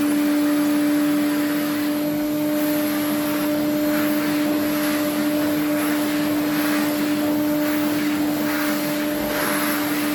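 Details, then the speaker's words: Restored Electrolux 350E vacuum cleaner running: a steady, fairly low whistle at one pitch over the motor's rushing air, from a motor that is bad inside; the whistle is attributed to "these two" parts, cause not confirmed. "well you can hear the whistling that's these two"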